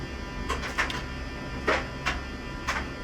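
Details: Mercedes 600SL ASR throttle bodies after repairing badly shorted internal wiring and cleaning: short whirring buzzes as the throttle motors move, faint steady hum between, no grinding; potentiometer readings change; normal throttle actuator operation.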